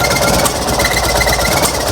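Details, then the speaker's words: Fiat 126p (Maluch) engine on 92% denatured alcohol instead of petrol: loud choppy running with uneven thumping beat; owner says compression is very low since the piston rings were fitted. "ogólnie to ten silnik ma strasznie małą kompresję bo jak widzieliście poprzedni filmik jak zakładam"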